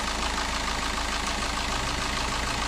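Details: Suzuki Ertiga common-rail diesel (same engine as the Chevrolet Spin), freshly running after an engine teardown for a cracked camshaft holder in the cylinder head that leaked oil: steady, constant-pitch idle with no knocks or misses.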